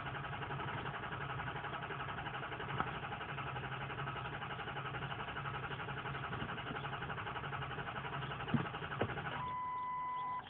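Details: 2003 Ford Powerstroke 6.0 diesel crank no start, ScanGauge II monitoring FICM volts and ICP psi: starter keeps turning the engine over with an even cranking rhythm but it never catches, then a steady tone sounds.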